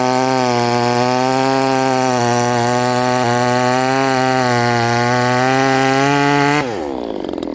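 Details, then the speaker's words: Modified Chinese 62cc chainsaw, highly modified cylinder, held wide open: screams at a high steady pitch with no burble, then drops off when killed; running slightly lean on the high needle, richened afterward. "So I killed this, it ran just a little bit too lean, so I put more in the high, and just to see, does it more fuel or less fuel, because it's a highly modified cylinder, so Who knows what it wants, really."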